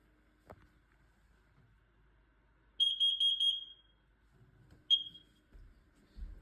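A shrill high beeping burst for about a second, then one short chirp in a quiet room; the alarm responds normally to its test.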